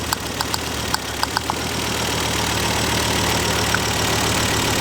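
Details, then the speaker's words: Mk2 Ford Focus ST petrol engine misfiring at idle after a few sharp clicks. Unplugging coils 1–4 changes the running, but unplugging the fifth changes nothing, pointing to a faulty coil pack on that dead cylinder. Compression was about 140 psi. "but it's misfiring as you can hear that's changing straight away same with two same with three definitely same with four"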